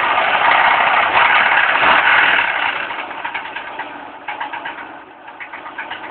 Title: marea com barulho no motor que é isso!!!!